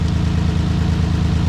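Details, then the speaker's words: Nissan 350Z VQ engine with P0300 random misfire code, idling: steady low idle with uneven lumpy exhaust pulse; unplugging one coil pack changes nothing, showing that coil failed and its cylinder is dead. "nothing happened it didn't stop it didn't start running any worse it didn't run any better nothing happened so this lets me know that this right here is bad"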